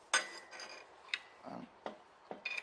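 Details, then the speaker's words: Rover 3.9 V8 on the bench during a rebuild, apparently low mileage: four sharp metallic clicks in under three seconds as the crank is pushed fore and aft by hand; excessive crankshaft end float, so the engine is being torn down to inspect the bearing shells. "you hear that that means it crank is moving like that and you don't want knocks like that when the car's running"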